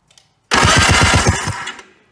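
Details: 1991 Polaris Trail Boss, 28 years stored in chicken coop, jumped dead battery, spark confirmed, before fuel added: brief crank about a second, fast even chuffs near eight per second, no firing; normal cranking.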